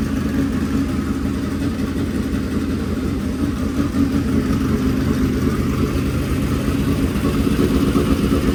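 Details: Fresh dirt-track race V8 at a fast idle: a deep, loud, even rumble with no knocks. Normal fast idle.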